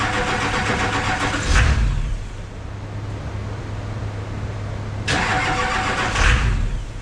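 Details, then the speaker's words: Airport limo first start after front clip paint, ignition not touched, ran before: two cranks, each catches with a brief roar then dies within a second; starts then stalls, owner suspects anti-theft. "Sounds like it's starting, right? And then it's immediately shutting it off. Yeah. To me, that sounds like anti-theft."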